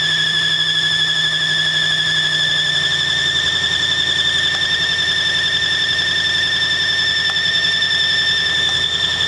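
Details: 1965 Mustang GT convertible after replacing belt and fitting Tuff Stuff 7068K 140 A alternator: loud steady one-pitch squeal over faint engine rumble; belt or alternator suspected, cause unconfirmed.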